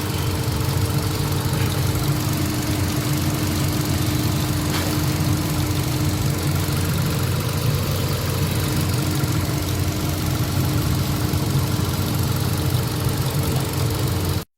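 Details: Hyundai Accent petrol engine after misfire repair (earlier P0300/P0301/P0302 codes, vibration, check-engine light), idling smoothly and evenly with a steady low hum and no stumble or shake, heard from the front of the engine; normal idle.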